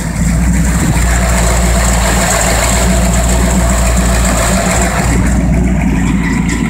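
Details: 289 V8 with Holley carb and electric fuel pump, fitted with a new fuel return line to cure vapor lock, holding 7 psi fuel pressure while warming from cold; smooth, even idle with a steady low rumble, no pump whine or stumble, healthy.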